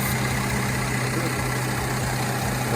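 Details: 2014 Mercedes C300 petrol with code P2279 intake air leak, after fitting the missing screw in a vacuum hose and clearing codes: steady, even idle hum with no stumbles or misses. Vacuum leak fixed.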